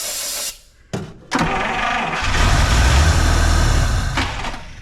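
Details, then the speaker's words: 1953 Buick on a restored fuel system, cranked on 12 or 6 volts, fuel just reaching the filter. Steady cranking at about four beats a second that never fires: no start from fuel starvation. "nope let's see here so she does wrong starting to see something that looks like gasoline coming up through that filter so"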